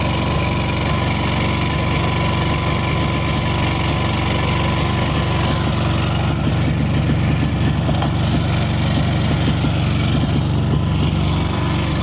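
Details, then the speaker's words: Neglected 1998 Yazoo YTKC22 three-wheel mower, cold, full choke: small single thumping at fast, slightly uneven idle, running on its own. "we have a running mower okay she ain't warmed up yet"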